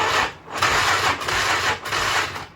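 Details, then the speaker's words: 1996 Polaris Magnum 425 4x4 project machine with a booster box on: strained, uneven cranking in slowing and recovering surges, turning over hard and not firing. It sounded dry, and oil down the cylinder is planned next. Cause unconfirmed. "She sounded dry. Yeah, she's having to try."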